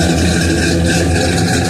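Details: 1969 Oldsmobile 442 V8 idling after timing, plugs and compression test (150 psi, number two 145), warm not cold after half-hour rest, running a little rich: steady lumpy choppy cam idle, even firing, no knocks or misses; healthy engine, nice cam.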